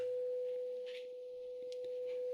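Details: Graetz Comedia 616 tube radio, after capacitor replacement and first power-up: about 500 Hz test tone fed into the power amp section, clean, steady and undistorted with no hum or crackle at the speaker output; the amplifier works normally.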